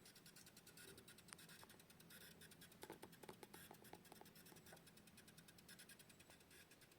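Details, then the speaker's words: Xiaomi Mi router (AliExpress import) with failing power adapter: faint steady hiss with irregular crackly ticks; router also reboots under heavy load with many devices connected; fix is replacing the supply with a 12V 3–3.5A bivolt unit. "deu para ouvir né um chiadinho vocês tem que trocar a fonte tá"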